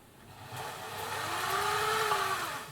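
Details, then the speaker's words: Singer 700-series sewing machine after replacing the motor hinge mounts and re-tensioning the belt: the motor spins up to a smooth rising hum and winds back down with no rattle. It runs a lot smoother than before and sounds good. "sounded pretty good there so I'll put this machine back together and this will be the one that I'll use to demonstrate some more advanced features"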